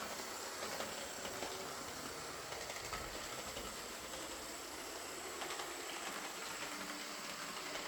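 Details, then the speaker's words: Old Lima Class 50 model locomotive reported scraping; after full service, filed gears and replaced missing buffer it runs with an even steady whirr and light hiss, no scraping. Normal running; a can motor would improve it. "They said it was making a scraping sound, but uh on test running it just sounded like I'd expect an old Lima to sound, but I gave it full service, filed the gears, and replaced the missing buffer, and uh it runs as well as any old Lima will."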